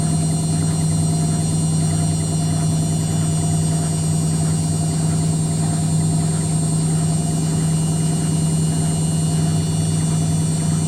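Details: Indesit WITL 106 washing machine on spin: loud steady motor drone with a recurring dull thumping as the drum knocks at speed; cause unclear.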